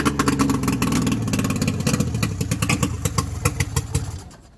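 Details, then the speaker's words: Long-stored old car being started with its carburetor flushed again because rotten fuel is still coming through. Rough, uneven, smoky firing settles into choppy running, then fades out. Smoky running on stale fuel. "Okay, now we got something. I think we'll let the smoke kind of clear out, let him breathe, and see if we can fire it up again. Okay, so we're flushing out our carburetor again. We're still getting some rotten fuel."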